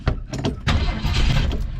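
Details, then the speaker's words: Vehicle that sat over six months through winter, throttle pumped ten times: irregular cranking without catching. Owner suspects more gas is needed. "Not yet. Maybe we need some more gas out there. Oh, it's like it almost."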